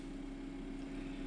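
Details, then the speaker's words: 12V DC refrigerator/freezer cooler on a LiFePO4 lithium battery via a 12V 14AWG DC plug adaptor, about 5 minutes in. Quiet, steady low hum with an even tone, no knocks or rattles; normal running. Readings: 13.3 V, 2.5 A, 31.9 W. "I'll fire it up. You can hear the refrigerator motor kick in. Alright, it's been running for about 5 minutes."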